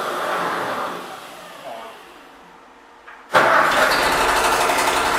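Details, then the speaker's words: Freshly rebuilt Ford tractor, brand-new carburetor, first start on battery charger: quiet cranking, abrupt catch, loud ragged running with scratchy top end; rough running, needs adjusting. "all right we have some adjusting to do but it runs"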